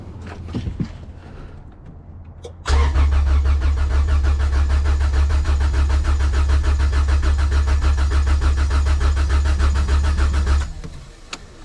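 Steady starter cranking, even pulses about three to four a second for eight seconds, no firing; healthy crank with ignition disconnected.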